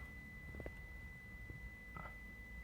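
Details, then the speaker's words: 2015 Toyota Prado with the seat belt buzzer always on: steady high beep sounding nonstop; passenger buckle switch circuit is open, so the belt isn't detected. "that buzzer is for the seat belt uh warning so we're going to check at this stage we're going to check um the the SE seat belt um ble switch if it's detecting uh the status of the switch"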